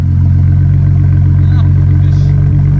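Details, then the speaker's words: 2007 BMW E92 335i idling after installing a replacement ignition coil to fix the cylinder 5 misfire: steady, even low idle, no stumbles; misfire gone, looks fixed. "way much better i don't i don't hear misfires at all give it a wrap give it a wrap yep looks like it's fixed"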